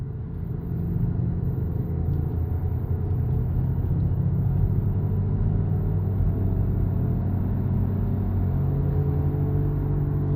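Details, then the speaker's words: Car, possibly with a CVT, driving: low droning hum under road rumble rising in pitch with road speed at about 1000 rpm, rolling-dependent; worn wheel hub bearing. "the higher the speed the higher the pitch noise and my transmission is shifting you can gauge that from uh your rpm"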